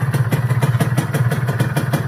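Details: A Kawasaki RR150 two-stroke, still being run in, idles with crisp, steady popping, about five even beats a second, with no misses or rattles; a healthy-running engine.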